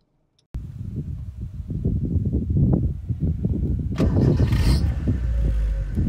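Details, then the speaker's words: 1980s Proton Saga (Black Knight), five-speed manual, started and given a light rev in neutral, heard from the cabin: catches, idles with an even low pulse, revs cleanly and settles back, no knocks or rattles; normal, remarkably quiet. "it's remarkably quiet actually from inside the cabin so give it a little rev so you can hear what i'm talking about"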